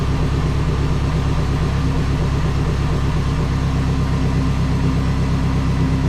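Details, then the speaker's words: Neon SRT-4 first fire-up after a build with AGP front-mount intercooler and AGP BorgWarner turbo, timing belt previously apart: loud, lumpy, uneven idle that never smooths out, misfiring on startup; codes read afterward, cause not confirmed. "all right so fires up sounds like it's got a mess"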